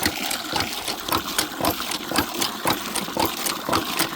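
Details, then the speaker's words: Hand well pump on iron pipe: steady squeaky strokes about two per second with splashing water; the pump draws smoothly and works normally. "so these pumps work very fast you can fill a 5 gallon bucket like that one I was just using in only a couple of minutes"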